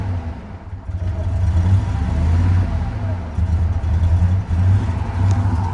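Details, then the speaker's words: Harley-Davidson F-150 with V8, towed in running poorly: deep uneven rumble surging and sagging, only stays lit on throttle, shaking badly; won't idle, all eight coil packs and spark plugs to be replaced first. "you hear it back there I don't think it'll [Music] idle it's trying to see if we can get an exhaust [Music] note oh she caming no so yeah she's shaking bad let's shut her down"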